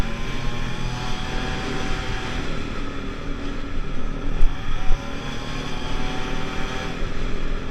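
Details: Pulse Force 50cc two-stroke scooter road test after fuel-starvation fix, GoPro on bike, 14-stone rider, hitting 37 and still picking up. Crisp even buzz climbing steadily in pitch, no bogging or misfire; normal acceleration.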